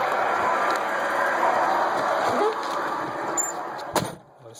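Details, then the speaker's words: 1999 Ford Crown Victoria P71: a shrill squeal right after start wavers with engine speed. It is very loud on restart and fades after driving a while, and almost disappears with the A/C on; cause unknown. "and yesterday i started making this funny noise while i was driving and then it goes away after a while after i cut it off but when i cut it back on it's really loud here we go"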